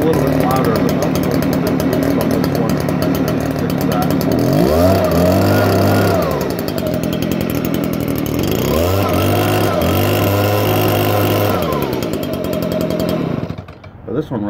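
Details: 2015 Stihl BG56C leaf blower, six years old, already used earlier that day (easy start): a strong, even two-stroke buzz revved up twice and dropped back cleanly with no stumbling or surging; runs very well.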